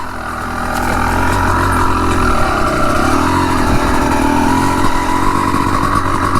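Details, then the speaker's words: Honda CR250 two-stroke enduro bike being run in, revving hard under load: a steady thin whistle rides over the engine note. Owner first suspected conrod bearings, now wonders if the clutch is whistling. Cause unconfirmed. "Toujours ce petit sifflement là. Sifflement du moteur, c'est assez caractéristique."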